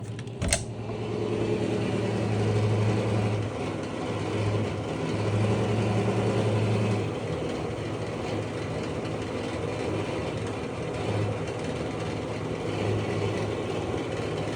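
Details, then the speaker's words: Basement blower fan: loud, rough low rumble with a hum that swells and fades, worsening over time; occupant suspects worn bearing and axle. "ever since I moved in you know the fans kind of noisy and then today it really really got uh you know more noisy usually this is because the um bearing and uh the axle is getting worn down"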